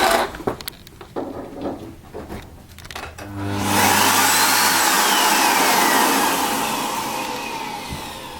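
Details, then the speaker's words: Miele S5311 vacuum cleaner after motor replacement (old motor made an awful sound): after handling noise, motor spins up to a smooth, steady whine with even air rush; sounds healthy, normal running. "much much nicer that is a motor change on a melee s 5311"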